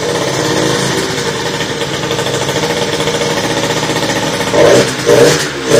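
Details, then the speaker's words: Motorhispania RX50 Racing (Peugeot XR6) two-stroke moped, start-up with cooling not yet sorted: buzzy, uneven running with ragged revs and dips, only keeps running on a bit of choke; runs poorly. "Yeah, it does run. Doesn't run great though. It seems to want a bit of choke just to keep running."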